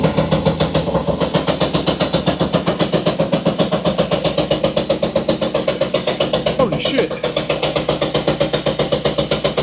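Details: Puch Maxi two-stroke moped, finally started and smoky: crisp even popping about four beats a second holding steady; idling cleanly.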